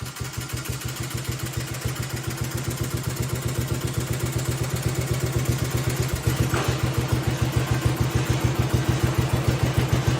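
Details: 1971 John Deere 110, first run after converting magneto to battery ignition, possibly cold: steady, even low thumping about two beats a second, runs without fighting it; normal running after ignition conversion.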